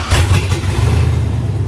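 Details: Mercury Monarch with 4.8 LS engine, start after wiring harness and fuse box work, push-button start: engine catches and settles into a strong, steady low rumble with no knocks or misses; starts and runs cleanly.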